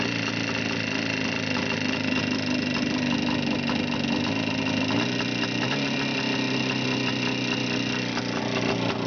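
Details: Engine at steady idle with a quick, even tapping knock riding on top of the engine note; knock present, cause not clear.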